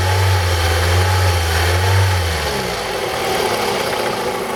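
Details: 2002 Toyota RAV4 at idle: light, fairly regular tapping about four per second that shifts with revs; engine knock, owner suspects the VVT-i coupling.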